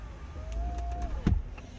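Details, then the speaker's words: C5 Corvette after replacing the driver door control panel, key in accessory, testing the left mirror: a short, even motor whir of about a second that stops cleanly, with no grinding or clicking; the mirror motor works normally. "Mirrors, LT, left, oops, wrong button, yep, it's moving, hey, knock it off."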